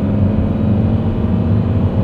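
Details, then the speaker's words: Leapmotor C11 range-extender, Dongan 1.2T three-cylinder range extender running with battery depleted, five occupants: high-frequency rattling at low speed, loud steady droning hum in cabin at speed. "低速的时候，它是那种高频的哒哒哒哒哒哒哒哒的声儿；速度起来之后，它是那种嗡的声"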